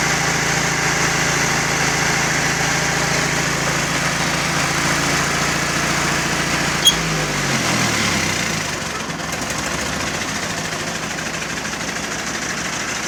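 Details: 1951 Ford 8N tractor four-cylinder, bought as scrap, just started with choke after carburettor and distributor cleaning, distributor-cap lead and ground repair, compression up to just under 125 psi: steady low putter about three beats a second, revs easing down smoothly; engine running fine.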